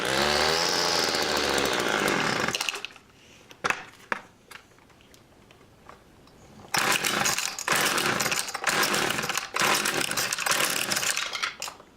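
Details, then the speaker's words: Homelite two-stroke chainsaw/weed trimmer, started with choke on after about six pulls: revs in uneven bursts, cuts out and surges back with gaps, won't hold steady; poor running, needs carburetor adjustment. "pull it about six times the choke on [ __ ] fires up it's not around the grass it definitely needs to be adjusted but let me uh let me fire it up let me see the best place to set my camera"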